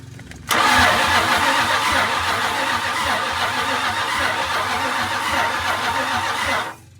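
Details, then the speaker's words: 1969 Dodge W300 Power Wagon with swapped-in 440 V8 that has been sitting, cranked with no spark to pump fresh oil through before first start: starter turns the engine steadily about six seconds at even speed without catching; turns over freely. "I'm gonna whirl it over with no spark for a bit, just to let the motor pump itself full of fresh oil again. It's holding oil, but it has been sitting, so."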